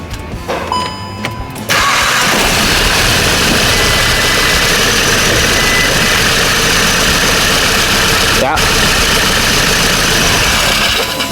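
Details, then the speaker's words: VW Golf 7 GTI after an engine rebuild, boost and intercooler pipes not yet fitted. It catches after a short crank and settles into a steady, even idle with no knocks or misses, and no oil leaks; healthy. "Alright, so looks like everything is good on this car. It's starting,"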